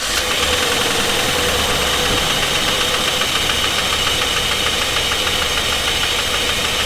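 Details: 2016 GMC Sierra 2500 with the 6.0 L, bought running at auction, started with the injectors unhooked and one side without spark: a loud, fast, even metallic knock over a rough idle, cause still unknown.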